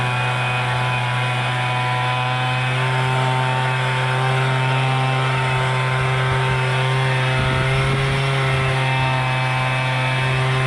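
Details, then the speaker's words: MTD Bolens BL125 two-stroke leaf blower after carburetor repair for no-start and bogging, adjustment screws notched for adjustment: steady high buzz holding even at throttle with no bogging, surging or dying; running perfect. "okay we but started up now put it on run you guys can [Applause] hear it's running perfect now let's try her out a [Music] [Applause]"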